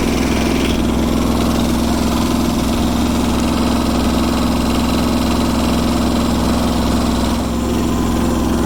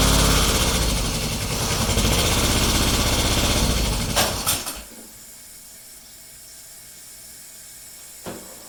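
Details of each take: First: Kubota G4200 garden tractor diesel, first start on blocks after restoration, with the fuel system redone and bled: a steady, even idle with a firm low beat of about 300 per minute and no knocks or misses; it runs healthy. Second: Restored Kubota G4200 garden tractor, first start attempt after final assembly, fuel system redone and bled: starter cranks at a steady, even beat for about four seconds but it never fires; cranks but won't start, cause unconfirmed.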